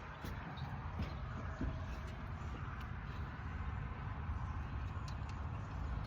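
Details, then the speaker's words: 1968 International Loadstar, new Holley inline electric fuel pump, first run after tapping stuck carburetor float: even, smooth low rumble at fast idle with choke on. High idle with choke on. "Running fine. Idle sounds a little high, but I had the choke on."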